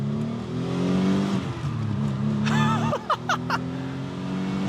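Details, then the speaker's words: 1992 Oldsmobile Cutlass Supreme International Edition, twin dual cam 3.4, first drive after sitting for years with new oil: revs cleanly and settles smoothly on the road, no stumble or knock; sounds healthy. "it revs nice. Guys, this isn't bad at all."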